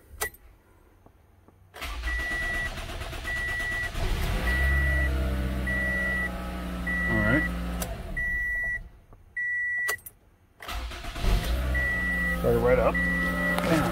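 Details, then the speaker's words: Toyota after fuel pump replacement and reseating a faulty fuel pressure regulator seal, air in fuel system front and back: chime beeps, short crank, engine catches at once and settles to steady idle. "it will have a rough start in the very beginning because now it's got air in the system in the back and it's got air in the system in the front so let's start it up and see how she does"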